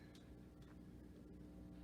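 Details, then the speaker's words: 1950 RCA console radio with 45 changer, no grounded power cord, filter capacitor going bad: low steady hum with faint buzz; mains hum from ungrounded chassis, gone after a ground wire is added. "i just want to show you the difference a grounded power cord makes this doesn't have one and i'm gonna put one on there because i just realized this"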